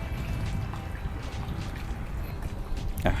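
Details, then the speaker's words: Camping fan run on household pure sine wave mains power as a reference: only soft steady airflow, no motor hum or buzz; normal fan running. "เปิดละมันไม่มีเสียงของมอเตอร์นะก็คือไม่มีเสียงำนะครับ"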